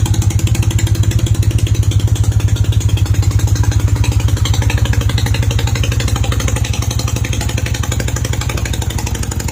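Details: Honda CB250 Nighthawk at idle just after refitting the exhaust bracket and tightening the exhaust to fix a leak, oil freshly changed; steady, even idle thump with no ticking or puffing at the exhaust joints, runs smoothly.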